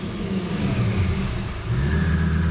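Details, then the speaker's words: Self-tuned Lamborghini: revved high and released, it used to just die, but now it drops back and settles into a steady idle without stumbling; it runs healthy off throttle. "if I rev it high and then just let off the gas usually what it would do is just it would just die but now when I see what it does [Music] look at that it's still on Wow all right"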